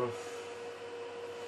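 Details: Juniper EX2200 switch with stock fans, during boot, roughly 50 dB in front of it before the Noctua fan swap: steady whirring hum with airy hiss that eases slightly but stays loud; loud cooling fans.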